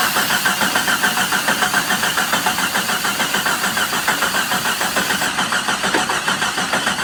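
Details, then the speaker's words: 1987 Jeep Comanche that sat for a long time, first start after revival: rough loud idle with a fast, fairly regular tick about three times a second; owner hopes it is valve lash or lifter tick from sitting, unconfirmed. "I'm hoping that that was some valve lash you know some lifter ticking because it's been sitting"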